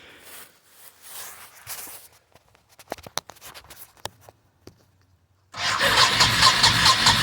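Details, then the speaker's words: 1998 Honda Shadow VT1100, abandoned bike with no radiator or coolant, choke on, no throttle grip: several seconds of clicks and near silence, then it fires and settles into a steady nice idle; slow to start, slight backfire. "filming oh I got it running fires up it's actually idling real nice sounds nice don't hear anything odd from the motor"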